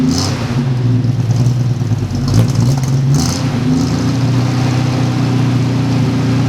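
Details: 1946 Studebaker M5 pickup with an AMC 258 straight-six, started for spring after storage: low, even idle with a quick rev blip that settles back smoothly, no knocks or ticks. The engine runs healthy.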